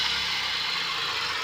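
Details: Chevrolet Vectra, engine bay at alternator belt, revved; steady high-pitched whirring hiss over quiet idle that rises with throttle, alternator bearing noise; owner also suspects bad plug wires and spark plugs as engine cuts out when accelerating.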